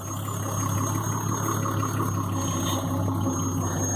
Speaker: If you hear that whining, that's just the air intake. It goes away above about 1200 RPMs.